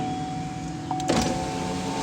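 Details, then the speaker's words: 2002 Grand Am power window after replacing motor and switch: steady even motor whir without strain as glass travels, now returning from fully down and one-touch down working; normal operation after repair. "works okay here's the moment of truth through because every time when it would go all the way down to the bottom it does not want to come back up so sweet"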